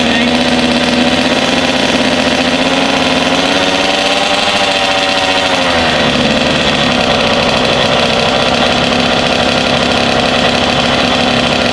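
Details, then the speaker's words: Rebuilt Kawasaki KX 85 two-stroke on first start, 140 main jet, 32:1 premix; crisp two-stroke buzz climbing briefly with a blip then settling to an even idle, no rattle, some smoke; normal idle. "Sounds good. Yeah, and we were running that gas in Mike's recordings KX last week, so 32.1, nothing froze up."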